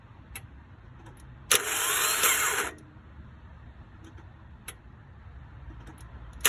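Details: 2003 Toyota no-start: short cranking burst with a thin high whine over it, engine never catches; cause unknown.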